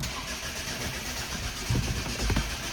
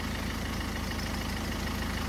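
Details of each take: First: 2011 Ford Focus turbodiesel: starter turns the engine steadily for about three seconds with a couple of louder catches, but it never fires. Cranks, no start; fuel supply suspected, not confirmed. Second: 2011 Ford Focus turbodiesel after a crank-no-start with no fuel pressure: steady, even diesel idle with a low regular thrum and no misses or knocks. It is running smoothly.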